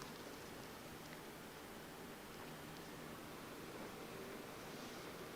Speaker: yeah now the front fans are front fans are making a good amount of sound too there as it's pushing air through that radiator as the CPU is getting hotter fans intensify in order to generate more airflow to bring that temperature down